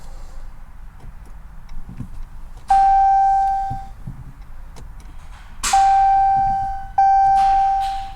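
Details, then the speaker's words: 2017 Dodge Challenger SRT Hellcat with a rebuilt 1500hp 6.2L supercharged Hemi, first start attempt: three sharp warning chimes and no starter engagement. No-crank caused by a missing ground strap from bell housing to chassis, melted earlier. "So since everything was melted before, I just realized that we don't have a grounding strap going from the bell housing over to the chassis. So that's why we got no starter action."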